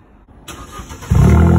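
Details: Vauxhall/Opel Corsa D with its back box replaced by a larger straight pipe: quiet cranking, then a loud, deep, raw unsilenced rumble on start-up, then revved.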